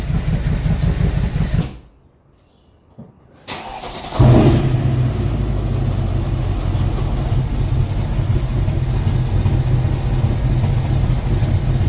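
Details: 2012 Mercedes E63 with the naturally aspirated M156 V8 at 30,000 km, noisy engine that suddenly began idling badly enough to stall; restarts into a lumpy, uneven idle. Mechanic diagnosed a faulty exhaust cam lifter, and replacing it fixed the problem.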